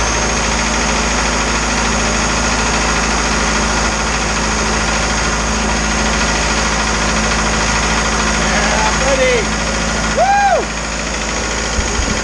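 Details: Isuzu 4BD2T diesel on initial startup after priming the air out of the fuel system: a steady, even idle with a constant low drone and no knocking. Oil leaks from the wrong-size crush washers were fixed afterward.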